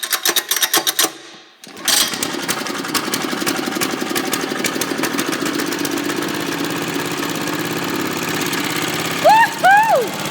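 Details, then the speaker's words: 1981 Kubota rototiller with a gasoline four-stroke single-cylinder engine. After a few rough pulls it catches into a steady, quick putter with no misses or knocks; the exhaust warms quickly and the kill switch works: normal running. "woohoo listen to this thing go kill switch works woohoo this thing sounds good exhaust is hot too that didn't take long to get warmed up"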